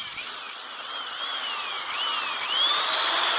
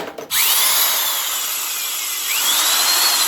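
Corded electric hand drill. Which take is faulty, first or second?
second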